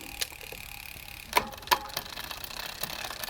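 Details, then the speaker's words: Bicycle rear derailleur during barrel adjuster cable tension adjustment: light freewheel ticking with crisp shift clicks, chain moving one cog up and back down with no skipping; shifting cleanly. "now I'm going to go one click back and it jumps back so that's good"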